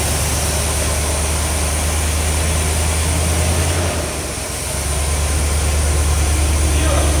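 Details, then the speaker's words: 1973 Corvette Stingray V8 just revived after 25 years in a garage; deep, loping idle with a brief sag around four seconds before picking back up, needs the idle set up a little with a screwdriver; rough idle after long storage. "need a screwdriver to set the idle up just a little bit"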